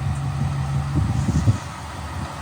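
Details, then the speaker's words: Used 2020 Ford F450 cab chassis 6.7L Power Stroke diesel, 22,000 miles, idling after fuel filter and fuel-water separator change, heard from underneath while checking for leaks (none): steady low rumble, even firing, no knocks or misses; normal idle. "truck is running fine ready to go camping one thing I find pretty amazing about these clean idle diesel trucks"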